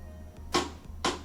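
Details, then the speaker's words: LG front-load washer model WM2455HG at cycle start: two sharp clicks about half a second apart as the door lock tries but fails to engage, light flashes, then dE error code; faulty door lock. "And you can hear that it's locking or trying to lock the door. And this light flashes and then it throws the error code DE."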